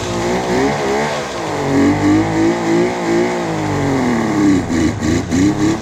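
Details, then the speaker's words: 1976 Suzuki GT750 two-stroke, first run in 30 years: revs rise and fall unsteadily with a wavering pitch, won't hold idle; very smoky, air bubbles seen in the oil lines, needs more running. "I would say that is a very good sign for this old girl. I'm quite happy. Finally, something's come of it. Or not, it's very smoky."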